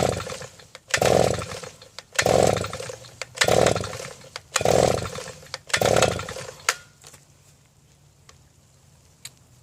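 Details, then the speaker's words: Southland two-stroke post hole digger, sat with bad gasoline, new BPMR7A plug fitted: five pull-start sputters that die, never catching; plug dry, carburetor suspected; engine fails to start. "And the plug doesn't seem to be wet, so this might require going into the carb."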